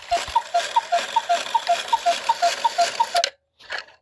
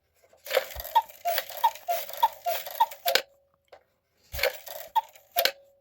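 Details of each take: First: 1950s Gebr Kuner cuckoo clock, modified Regula 1 movement, after overhaul, with spinning couple figures: steady light ticks near three per second alternating in pitch while strike runs; unidentified noise as figure spins, figure not hitting post, cause unknown. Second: Gebr Kuner 1950s cuckoo clock with a modified Regula 1 movement, strike tested after oiling the gears. Crisp, evenly spaced clicks run through the strike, pause, then resume without catching; the strike train moves freely.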